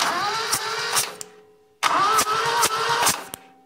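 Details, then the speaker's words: Compression test on a 1975 Satoh Elk 550G 4-cylinder liquid-cooled gas engine: starter whine and slow cranking with sharp hiss past the tester fitting, damaged O-ring not seating, still reading about 120 psi. "Yeah, she's leaking, leaking by there. What's going on? But still, 120 with a gigantic gigantic compression leak there."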